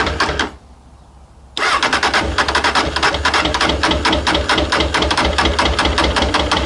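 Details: Honda CB600F, about 26,000 miles, misfire on cylinder two, on choke, header pipe two still cold: engine catches after pause and runs uneven and lumpy around two and a half pulses a second; one cylinder dead.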